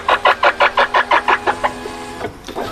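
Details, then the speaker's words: Volkswagen Passat power window: sharp rhythmic squeaks, about five or six a second, follow the glass travel then fade; dealer advised replacing the regulator, but the noise probably comes from its two pulleys and is treated by oiling them. "我们看到啊，这个玻璃升降器在这个部位有2个滑轮，声音大概就是从这里发出来的。"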